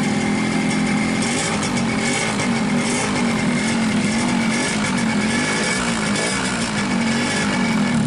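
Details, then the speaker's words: 2003 Yamaha RX-King two-stroke with low compression that won't hold idle: ragged, unsteady running with a constant rattling clatter from a loose, worn piston slapping in the bore; fix is a new piston and cylinder rebore. "Ini pistonnya, sudah longgar seperti ini. Dan ini membuat suara mesin terdengar kurang mantap, teman-teman."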